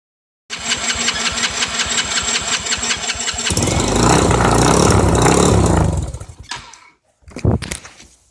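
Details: Four-wheeler ATV that won't start properly: cranks, catches and roars briefly, then the revs sag and it bogs and dies, followed by a short restart attempt.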